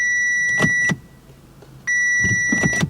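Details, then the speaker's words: Audi RS5 V8 no-crank attempt on low battery charge: a few sharp relay clicks under a steady warning chime, starter not turning; owner suspects blown starter fuse. "Not trying. I can hear the relay clicking. Interesting. Wonder if the fuse to the starter's blown, because it's not even trying to turn the starter."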